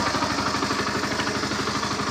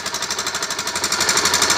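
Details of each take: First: NS160 motorcycle engine at idle: even, quick putter of about three beats a second with a light mechanical clatter, holding steady; sounds like a healthy running engine. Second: NS160 motorcycle engine run low on oil: fast, harsh, jackhammer-like metallic clatter over the running engine, noisy engine damaged by oil starvation.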